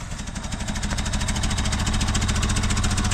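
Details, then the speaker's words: 1974 BMW 2002 started after sitting over 30 years: quiet exhaust but uneven, lumpy idle loping about three or four pulses a second; misfiring from bad spark plugs. "pretty damn Qui it is quiet right sitting for 30 years but it's definitely got bad plugs in"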